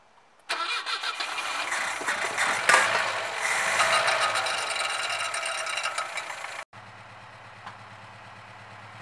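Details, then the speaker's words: 1967 Volvo 122 Amazon B18 engine starts and runs with an uneven, lumpy beat and irregular pulses; compression 150/120/120/150 psi, low on the two middle cylinders, causing rough running. "it has low compression so it's really not running that well but that's what it sounds like"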